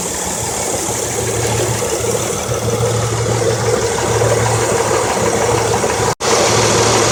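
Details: 2003 Honda Accord EX 3.0L V6 6-speed, 171k, new plugs and coils, flashing CEL with P0300 and P0303-P0306: lumpy idle with uneven dropouts about three per second; misfire traced to one dead-on-arrival new coil.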